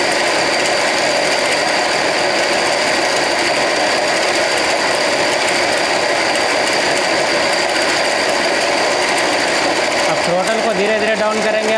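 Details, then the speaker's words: Handmade electric scooter with 48V 1000W BLDC motor and 48V 1000W controller, throttle applied slowly: fast mechanical whirr and rattling clatter over a thin motor whine as the slack drive chain rubs; the chain needs tightening. "लेकिन इसका चैन क्या है, tight करना पड़ेगा, चैन loose है अभी। यहाँ पे चैन इसका टच हो रहा है जिसके कारण ये आवाज़ कर रहा है इस तरह से, इसको भी टाइट करना पड़ेगा।"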